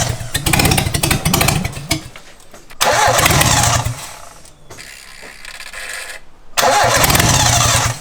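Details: 2002 Mitsubishi Lancer 4G15 turbo build, first start attempt with the downpipe off and dump open; repeated bursts of fast even cranking with pauses, never firing; crank no-start.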